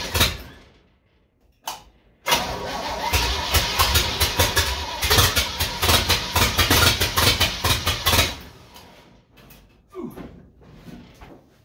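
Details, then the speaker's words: Old supercharged truck with freshly cleaned and modified carburetor, second start attempt with choke held open: several seconds of steady rapid starter cranking with no catch, a long crank that won't fire; cause unknown. "Ain't got a clue why it won't start."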